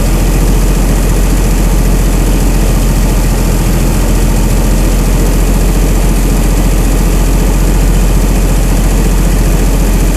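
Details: Chrysler 225 Slant 6 generator engine with new Holley Sniper EFI, cold and warming up; IAC at 100%, probably holding high idle, throttle 0%, weak battery; loud even fast idle, constant pitch, no miss or hunting; normal high idle during warm-up.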